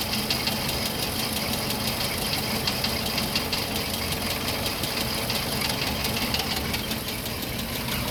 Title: Land rover series 3, before the repair of the camshaft rollers. Terrible rattling noise